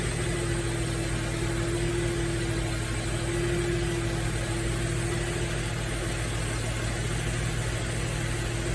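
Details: Nissan Fairlady Z Z33 (VQ35DE V6, automatic) at about 310,000 km, idling after a DIY engine overhaul: smooth, even idle with a steady low hum and no ticks or knocks; the V6 sounds healthy.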